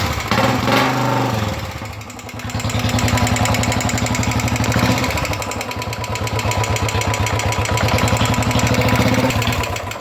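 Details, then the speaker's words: Royal Enfield Bullet 350 Electra single-cylinder idling before repair: sharp regular ticking about four per second from the engine; tappet noise. "तो देखिए य bullet Electra और इसमें कुछ तो problem है इंजन में जो अलग टाइप का एक साउंड आ रहा है"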